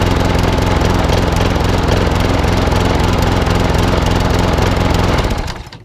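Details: Old Masport lawnmower with a Briggs and Stratton single-cylinder engine, after a full service: steady fast thump with a faintly uneven beat, a slight miss, then cuts off; owner suspects the carburettor needs cleaning again.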